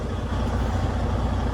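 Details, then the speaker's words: Detroit DD15 diesel right after starting following fuel pump replacement, priming and metal-contamination cleanup: steady, even low rumble with no misses, knocks or hunting; smooth healthy idle with good fuel and rail pressures. "so let's start it and see what it does as you guys can hear start it up right away"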